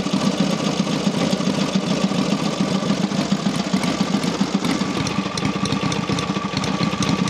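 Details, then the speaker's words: Rebuilt Matchless G12 twin (new crankshaft reground undersize with new shells, conrod, main bearing; scored barrels and pistons cleaned up) after road test; steady, quick, uniform idle beat, no knocks or misses, running clean. Normal idle. "we've had it on tick over now we've revved it a few times it's clean"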